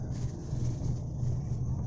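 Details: Toyota Rush cabin: the seatbelt warning chime and dash light stop once the belt is buckled, leaving only a steady low engine rumble; no warning chime.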